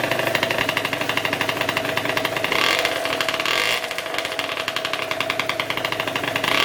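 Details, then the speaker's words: Two-stroke scooter with newly installed LV exhaust, plus clutch springs, roller weights, M6 jets and hi-flow filter, warming up to break in the muffler packing: crisp buzzy rattle climbing cleanly through blips and settling smoothly, no bogging or misfire; healthy. "Before that, you probably want to warm up your bike and let all the muffler packing burn in first, or break in, if you will. So I'm just going to start it up and let it run for a bit, see how well it sounds, and we'll go from there."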